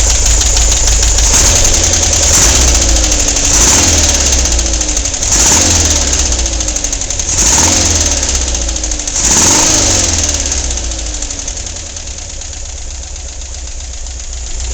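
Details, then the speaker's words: Volkswagen engine at idle, much louder than its usual noise, heard on the way to work: sharp metallic clack about once a second from one lower corner of the engine over a steady idle; cause still unknown. "I'm not sure how well you can hear that but there's a clack down in this corner and I got to figure out what it is"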